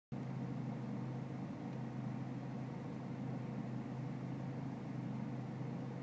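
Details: BMW E46 320cd diesel at low engine and outside temperature: low, slightly uneven idle rumble with no clear rhythm of misses; a rough cold idle, cause not determined.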